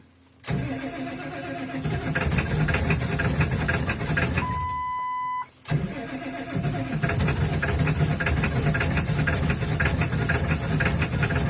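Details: Ford 7.3 Powerstroke diesel, hard cold start at -35°C on third attempt, block heater plugged in overnight, glow plugs cycled over 2 minutes; cranks, catches roughly, cuts out, fires again and rumbles unevenly. Owner blames bad injectors, not yet replaced.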